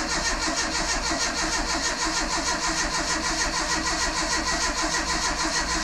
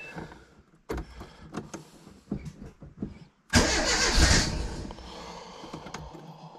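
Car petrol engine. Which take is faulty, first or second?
second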